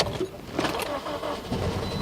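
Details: 2009 Toyota Matrix 1.8 L, sat over three months: starter cranks in a rough, uneven churn but engine never catches. ECM already replaced, spark plugs renewed, fuel believed fine, no codes stored; timing suspected off, not confirmed.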